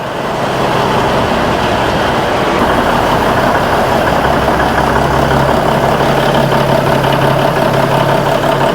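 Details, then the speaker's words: Old diesel semi truck after welding and mounting aluminum fuel tanks and new fuel lines, first start: even steady idle with constant rumble and clatter, no longer idling up and down as before; running better. "Well, it's running though. Sounds like it's running better. At least it's not idling up and down like it was."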